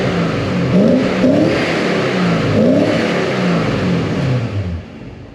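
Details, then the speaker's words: Porsche 928 S4 V8, brought in sluggish and now repaired with its performance restored: a strong V8 pull rising cleanly through the revs, shifting and climbing again, even and crisp with no stumble; normal, fast acceleration. "And now I know what Jeremy Clarkson was talking about with the speed of these. This is an absolute ripper."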